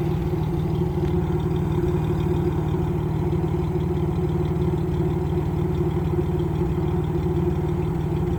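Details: Camaro RS 3.8: uneven, stumbling idle with irregular low thump about three times a second over steady engine note; misfire at idle.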